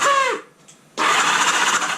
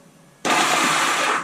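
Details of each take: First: 1978 Honda Goldwing after years sitting idle, on a jumper box; quick starter whir spins the engine over freely and evenly with no firing. Engine cranking freely on starter. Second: 1978 Honda Gold Wing, on a jumper box after years sitting: a high, smooth whir for about a second with no compression beats. The starter spins without turning the engine because the starter clutch is slipping.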